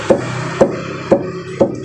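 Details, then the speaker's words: Mitsubishi Outlander EPS steering rack, wheels turned full right without jacking and the tie rod tapped by hand: four hollow knocks half a second apart showing loose play; left-side rack bushing worn. "Ada ketukan dia e bahwa busingnya itu udah longgar dengan E rootnya atau asnya itu"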